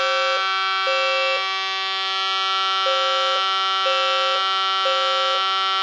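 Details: Fire alarm system test with Edwards devices, activated by a key-only pull station: loud steady horn tone with a second horn pulsing about once a second; system working normally in general alarm.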